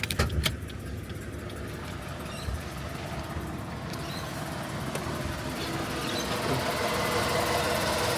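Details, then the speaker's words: Ford BA Falcon XR6 with the Barra inline-six at a seller's inspection, idling after start-up with an uneven beat and an irregular stumble about three times a second; a misfire, with a broken or cut wire noticed, cause unconfirmed. "Oh yeah, it's got a bit of a miss, hasn't it?"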